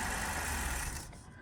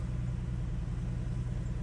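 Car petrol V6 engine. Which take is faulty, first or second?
first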